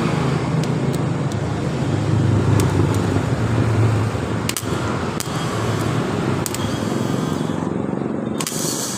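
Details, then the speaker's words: Yamaha Mio Soul starter motor tested on the battery after rough noise at starting and shutoff, rear armature bushing suspected worn, after checking and retightening: smooth steady whirr with a few light clicks, sounding normal. "Suara dinamo ini langsung dengan suara normal."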